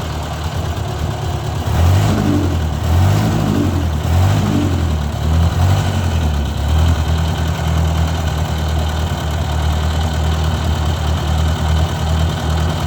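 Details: Owner's 1956 Ford 640 tractor, restarted after years unused and after a pinched oil-pressure line was fixed: low, even idle chug with mild rev blips settling back smoothly, no misses or knocks; runs well but still rich, carburetor needs adjusting.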